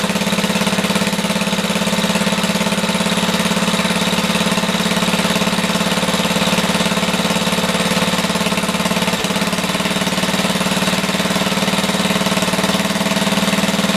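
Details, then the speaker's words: Older Black & Decker generator, Briggs & Stratton 5 HP, rusty tank and dirty carb, choke off, no load, target 61 Hz: steady single-cylinder drone running a tad slow; low governed idle speed. "Let's try this again. Choke off. It's a tad slow."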